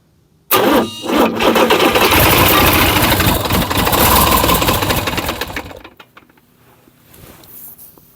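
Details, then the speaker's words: International DT360 diesel, planned 1973 Ford F250 swap, cranked on truck battery: fires instantly, runs rough and loud about five seconds, then dies; fuel system needs priming, air in fuel. "I'm sure the fuel system just needs prime. So, it took a couple of minutes of pumping with the uh the little manual pump on the side of the fuel pump."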